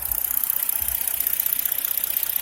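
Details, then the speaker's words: 2010 Hyundai Genesis Coupe 3.8 V6, six-speed manual, low miles, no check engine lights, heard at the engine with hood open: steady, even idle with smooth pulsing and hiss, no knocks or misses; healthy. "you can see it is turn along beautifully this is definitely a little rocket ship"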